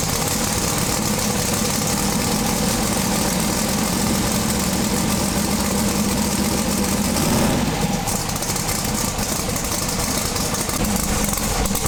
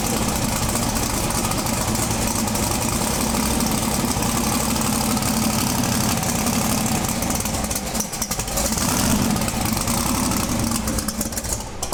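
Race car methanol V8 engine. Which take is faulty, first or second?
first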